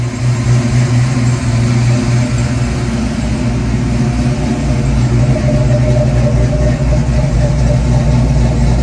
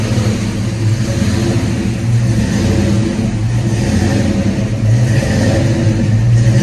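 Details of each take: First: 1991 Ford Mustang GT hatchback V8 after an ECU change, now warmed up: steady deep idle with only a slight lazy hang, no hunting; the cold-engine idle surge has calmed, though its cause is still unknown. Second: 1991 Ford Mustang GT hatchback V8 just after a cold start, following an ECU change: idle rises and falls every couple of seconds in a slow hunting surge; owner blames the cold and an IAC needing to relearn, expects it to smooth out when warm.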